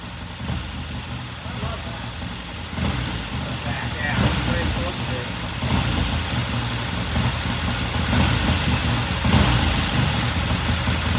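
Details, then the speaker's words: 1969 Triumph TR6 motorcycle after pilot jet cleaning and the pilot air screw turned in half a turn, warm after about 10 minutes of idling: a steady, even twin-cylinder idle with no misses or knocks. Running sweetly. "Run for a few more minutes. All right, so I guess at 10 minutes or so, and it sounds good."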